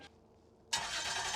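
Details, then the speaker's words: Car started with a portable jump starter after pressing its boost button, no power without boost: silence, then engine catches at about three quarters of a second and settles into a steady run; normal start. "well let's see what this boost button does oh sounds like everything's Alive"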